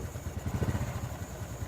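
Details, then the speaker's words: Honda Revo FI that stumbles at low rpm: small single putters at a fixed idle with a slightly uneven beat; idle speed won't adjust, and injector readings jump when revved, so the mechanic suspects the injector. "Untuk RPM-nya tidak bisa saya setel entah mengapa. Tadi sudah saya otak-atik. Dia ngancing saja di 11.000 RPM."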